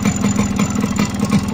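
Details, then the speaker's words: Yamaha RX two-stroke at idle: fast, regular light ticking rides over a rough idle. The owner attributes it to a piston problem, unconfirmed. "currently my bike is facing a pistol program so you can listen to this that is coming from this right like tick tick tick tick ticking if that problem is there and to see that I will suggest you to walk away from that"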